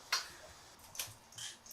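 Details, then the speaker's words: 2005 Honda Rebel 250 with a new battery fitted: crisp dry clicks about once a second in a quiet room; normal turn signal flasher operation. "whoa look at that okay turn signal Works brake light yeah"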